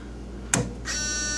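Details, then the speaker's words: Ford in-dash six-disc MP3 CD changer: a click, then a thin continuous high whine as the worm-drive motor, thought to drive the load/eject rollers, keeps running. Something is apparently stuck inside. Cause not confirmed. "So that one's just going and going and going, and it can't do anything because apparently it's something stuck in there."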